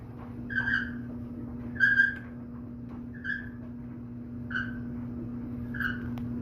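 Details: Whirlpool clothes dryer, running: a high-pitched squeak about every 1.3 seconds with each drum turn over a steady low hum; cause suspected, not confirmed, possibly the dirty white wheel inside the drum that needs replacing.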